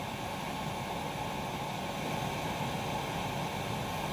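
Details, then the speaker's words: Chinese diesel heater in a hardcase during normal shutdown cool-down: glow plug off, fan cranking up to high speed with steady, even rushing air and no knocks. "now the fan is cranking up here so that should have dropped the amps down away yeah fan is cranking up just to kind of cool everything"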